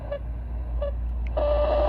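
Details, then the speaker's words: ICOM IC-7100 receiver (issue also affects IC-7300), AM mode, preamp 2, around 11.9 V supply: hiss with faint tones, buzzy whine rising as volume is turned up, shifting with supply voltage; interference from PWM switching audio power amplifier, fix is a linear amp. "now watch this if I turn the volume down it stops it's just barely there I turn the volume"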